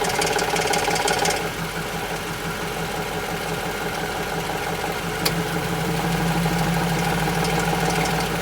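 Steady idle with a regular knock near three per second and a lighter tick riding on top; the cause cannot be pinned down by ear.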